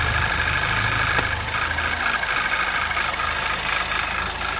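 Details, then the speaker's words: 2011 Audi TT Quattro 2.0T TFSI at idle before repair: fast light ticking about two per second with slight sweep, changing when oil cap removed; owner suspects vacuum pump, which vents into crankcase, being noisy, not confirmed. "um so the vacuum pump on this engine exhausts into the crankcase so that made me think it's maybe it's just a vacuum pump being noisy"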